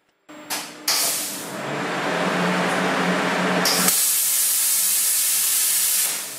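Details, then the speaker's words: Plasma cutter mounted on a robot arm: loud steady rushing hiss starts as soon as the cutter powers up, torch firing when it shouldn't; relay suspected, not confirmed. "the plasma torch is not supposed to turn on when I turn the plasma cutter on. So yet another hour or so of troubleshooting is about to begin."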